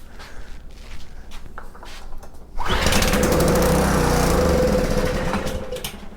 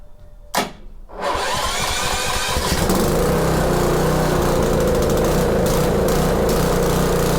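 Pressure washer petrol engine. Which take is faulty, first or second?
first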